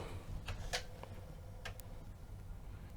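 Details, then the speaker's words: 1985 Commodore Amiga 1000, old and dirty before restoration, booting Workbench floppy: scattered soft ticks of the drive head stepping unevenly, no steady read rhythm; the drive fails to read two different disks and needs attention. "nope it can of course be the disc so i'm trying another one nope so it doesn't seem to want to read the floppies so this floppy need a little bit of attention later"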